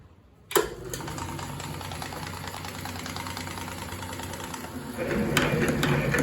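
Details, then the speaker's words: Atlas 7B metal shaper, after oiling and freeing a stuck ram by hand: motor starts and settles into a steady mechanical churn with even ticking about four per second; runs smoothly, though the table bounces, worse with longer ram stroke. "there she is, running nice and good."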